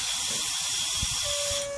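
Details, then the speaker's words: 1970s turbocharged MGB GT whose boost would not exceed about 4 psi: a sharp steady hiss of escaping air during a boost leak test that dies away as pressure drops; leak found at the brake booster check valve. "noise it's the breakthrough step if I'll up off that area then just hold it with my finger the boost doesn't go down as quick now it's going down ever so slowly now but it's the brake booster"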